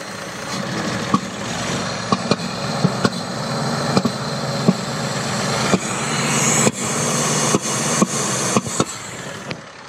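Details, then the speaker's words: Datsun 280Z: idle hiccups and pops and never settles into an even beat; engine chokes, loses all power, can't move the car, then dies; stall. "Engine starts to choke, lost power, was not even able to move anywhere and then die."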